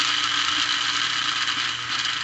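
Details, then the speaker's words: Lionel plastic-case Scout motor (#1110 2-4-2) on a test stand after cleaning the brushes and commutator: steady, even, buzzy hiss at constant speed; noisy but smooth, normal for this motor, with better slow-speed control. "hey that's pretty good not bad it's still noisy but as we showed with our earlier experiment noise comes with the"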